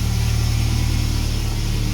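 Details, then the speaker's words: Renault in cold weather, not started in a while with only periodic battery charging, now warmer after a cold start and settled to a steady, even low hum at about 1100 rpm with no knocks or misses; a healthy warm idle. "You can hear that. It's now warmer."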